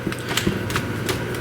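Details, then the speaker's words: 1940s Peerless 1/2 HP electric motor: uneven dry ticking and scraping over low hum, worn bearings that need lubrication. "Bearings are no good, though. Listen to it. Sounds pretty sad."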